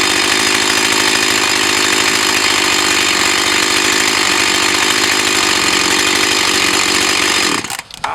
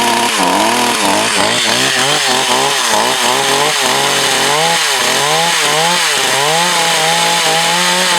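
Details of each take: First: Echo CS 4500 chainsaw, bought used with unknown history, after carb rebuild, test run behind a garage. High, even two-stroke buzz holds steady without stumbling or surging, then cuts off; running smoothly. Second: Echo CS 4500 chainsaw, long stored, carb rebuilt. Revs keep sagging and surging every half second, never holding full speed under load: bogging; owner looks to readjust the high/low screws.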